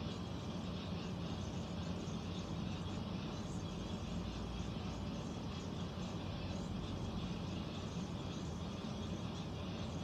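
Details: Central air conditioner air handler, apparently above the bedroom closet, making a constant low rumbling drone with no rhythm or change; owner questions a possible leak; unusual noise, cause unclear.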